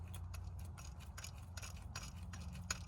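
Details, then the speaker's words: Skoda Fabia 2 Estate, engine off, belt removed, idler/tensioner pulley spun by hand: a dry, uneven ticking and gritty rasp from a worn bearing; another tensioner near the crank is also worn, and the water pump has failed. "Yeah, the bearing's worn out on that, and there's one underneath it as well that's worn out. The crank down there. There's another tensioner there. Yeah, it's a bit noisy, that one."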